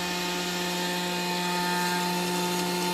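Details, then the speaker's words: Customer-returned Grundfos SQ 3" submersible well pump (SQ190/SQ200) in a test tank at 60 PSI typical operating pressure, delivering 8.5 gpm. Constant low electric hum with even flow noise, no grinding or cycling; normal running. "let's see we're at 60 PSI right now typical operating pressure and we're still at 8 1/2 gallons per minute"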